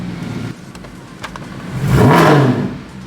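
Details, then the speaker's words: Mercedes C63 V8 after a DIY cam phaser rebuild: smooth blip up and back with no stumble or rattle, sounds good; runs a little rich and needs a new tune. "she's running a little Rich we're going to have to adjust the tune on this bad boy but she sounds good"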